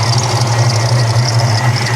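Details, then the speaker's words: 1994 Ford Mustang GT, 347 stroker with Powerdyne supercharger, idling with hood open: subtle supercharger whine plus a steady high-pitched squeal over the V8 rumble, traced to one side of the engine; owner suspects the idler or tensioner pulley; belt/pulley squeal. "you can hear that supercharger from here it's subtle but it's there you got a belt squeal maybe a pulley guarantee we got a pulley squeal wonder which one it is"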